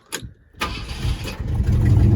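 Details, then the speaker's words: 1967 Ford F100 V8 with junkyard starter, restart after reaching operating temperature: a couple of quick cranks, catches at once and settles into steady, even idle; small exhaust leak noted. Normal warm start. "ht well she came up to operating temp everything is still smooth and sounds good no noises of concern or anything so i'm a believer in this motor"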